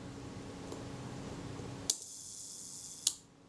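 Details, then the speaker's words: Kodak Retinette type 022 shutter after the speed train was adjusted toward the center to correct running fast, aimed at roughly 1 second: crisp click, even whirring buzz about a second, then a second click. Slow speed timing correctly. "speed it certainly wasn't slow that's running quite well"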